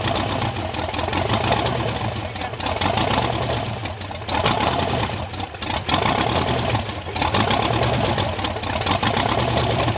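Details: Freshly built supercharged Ardun hot-rod V8 on its first start: loud, lumpy idle with slight surges, keeps running with no knocking; normal idle of rebuilt engine.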